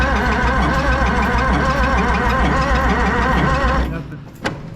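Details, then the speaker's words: Oliver Super 88 tractor after sitting 20 years, original mechanical fuel pump: steady cranking about three beats a second that never catches, even on ether; low compression suspected, possibly gummy valves. "Nothing. So, But it still ain't hitting on ether, so."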